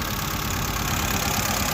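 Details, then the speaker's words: 2016 FAW XPV four-cylinder at idle: uneven, shaky idle with irregular stumbles. Scanner shows cylinders not working properly, plug or injector suspected weak. "वो कह रहा है कि गाड़ी के जो सिलेंडर है ना चार सिलेंडर है और चार इंजेक्टर है जो इसके सिलेंडर है ना व प्रॉपर वर्क नहीं कर रहे या तो उसकी कोई क्ल प्लग या इंजेक्टर जो है व वीक है"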